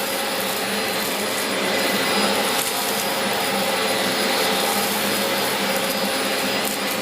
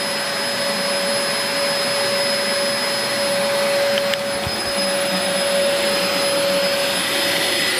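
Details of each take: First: 17-year-old Dyson DC04 Limited Edition upright vacuum picking up a big mess test: steady high rushing whine with even airflow, no labouring or pitch drops; running normally after an earlier brushroll jam cleared. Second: 17-year-old Dyson DC04 Limited Edition upright vacuum after a big-mess pickup test: steady motor whine with a breathy hiss of air drawn in, then the motor winds down; the cyclone shroud is clogged, starving airflow.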